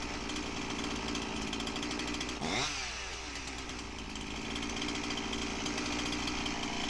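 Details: Husqvarna 346XP chainsaw after the base bolt air leak was fixed and the carb roughly tuned: steady, even two-stroke buzz with no surging or hunting; chain no longer drags; normal running.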